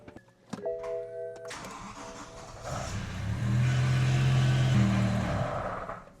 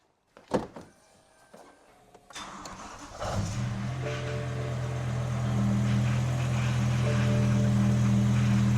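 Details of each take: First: BMW M5 V10 after a rod bearing service, moved off the hoist: the starter catches and the engine hums a few seconds, then sags and dies, as if out of fuel; stalling from fuel starvation, fuel pump fuse reinstalled in the wrong spot. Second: BMW M5 V10, just after a rod bearing service: it kept cutting out because the fuel pump fuse was refitted in the wrong slot. With the fuse corrected, it cranks, catches and holds a steady, even idle.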